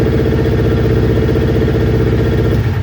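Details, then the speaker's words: Newly built Kawasaki Ninja twin, after fitting two second-hand ignition coil packs for a stutter and misfire: starts on the button and holds a steady, even idle, so both coil packs work. "The fact that it started on the button tells me that both coil packs are at least working, so we'll take it from there."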